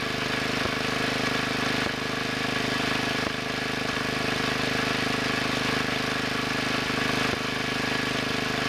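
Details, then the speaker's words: 1963 Wheel Horse 7763, rear 7 hp engine running alone after main carburetor needle turned a little over half a turn to cure puffing: steady even putter at fast idle, no misses or hunting; normal running. "yeah that sounds better I moved that one a little more than a half turn"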